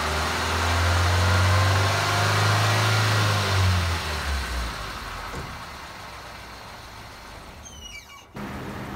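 Engine running with a raised front wheel spinning in gear; steady low drone, no bearing hum or grinding.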